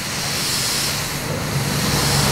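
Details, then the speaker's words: TT intake pressurised with air to hunt a boost leak: a steady sharp hiss from one side that reacts when the intake pipe is wiggled, with a split pipe or three-way pipe suspected. "right so it's definitely coming from the side here what i'll do is if we wiggle the pipe a little bit this is always usually a giveaway"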